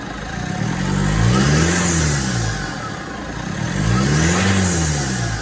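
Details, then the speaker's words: 2016 Mitsubishi MQ Triton Athlete after a popped boost pipe, hose clamps retightened; two rev blips each draw a thin high whistle climbing with revs, turbo whine, owner suspects the turbo is cooked, unconfirmed. "Yeah, I still think the turbo's cooked, unfortunately. Yeah, I have a feeling the old girl's cooked."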